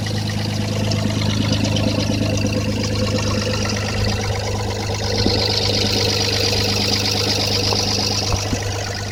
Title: Стук клапанов 1FZ-FE